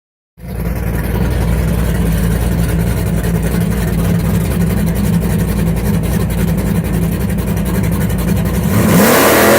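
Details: Engine held at steady revs with an uneven, stumbling beat under the exhaust note; a stubborn, persistent misfire of unknown cause.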